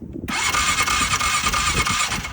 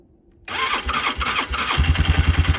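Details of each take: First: 2006 Polaris Sportsman 500 with twice-repaired PDM, fuel pump not running: steady whirring crank for about two seconds that never catches; no start, runs fine with a working new PDM. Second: 2006 Polaris Sportsman 500 ATV with a new working PDM: fuel pump whirs, then the engine catches into a steady, even single-cylinder idle thump; clean normal start.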